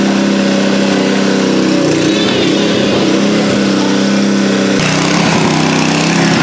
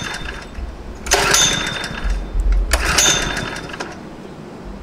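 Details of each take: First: Nearly new Honda WB20XT water pump with GX120 engine that would not start, after carburetor cleaning: steady, even buzz at constant speed with no misses or surging. Normal running after repair. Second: Honda WB20XT water pump, GX120 engine, nearly new but stored two years with fuel left in tank and carburetor: two pull-cord rips spin the engine without firing; no-start, owner suspects dirty, clogged carburetor.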